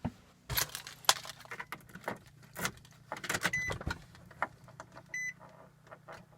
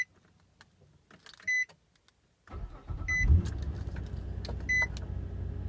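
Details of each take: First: Car that sat unused in a garage, before battery charging: door beeps, then a faltering crank that sputters before the engine catches and settles. Normally it fires right up; a weak battery is suspected. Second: Same car started right after charging its battery and disconnecting the charger: chimes, then a brisk crank catching quickly into an even idle. Normal strong start.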